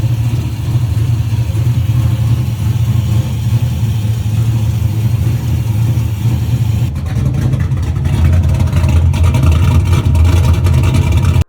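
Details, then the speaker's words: LS 6.0 V8 swapped into a 1989 Toyota Cressida, first start, heard from inside the car. Deep, loud, lumpy idle with rhythmic cam lope and no knocking or ticking: healthy normal idle. "It has that little cam loop, that little loop to it or the whatever you call it, the little um bump to it."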